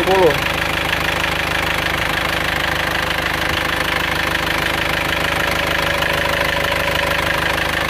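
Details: Panther pickup diesel after engine repair with new piston rings, warm at 81 °C after an 8 km drive: steady, even idle clatter with no knock, miss or hunting; heavy smoke from compression leak now gone.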